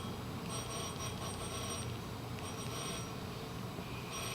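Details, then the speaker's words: 1973 VW bus steering coupling rubber disc (Pacific Parts 211 415 417) tested with a battery bell circuit: steady bell ringing, so the disc conducts electricity and isn't insulated as it should be. "Hear that bell? That's inside the bus, but this rubber disc conducts electricity. It's not insulated at all."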